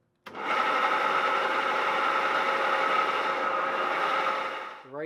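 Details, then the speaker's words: Van Norman duplex milling machine, three-phase motor with gear drive, first start in years via rotary phase converter: steady rough grinding hum throughout; owner suspects a bad bearing on the far side of the electric motor. "is the electric motor and it sounds like there's a bad bearing on this far side of the electric motor that is what's causing the grinding I believe"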